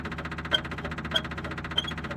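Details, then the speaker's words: Austin 7 or Riley 9 pre-war car (unclear which): sharp high squeak about every 0.6 seconds with the engine off, traced to the throttle linkage rather than anything mechanical like the clutch or dynamo. "there's my squeak without the engine running, so it's definitely not mechanical."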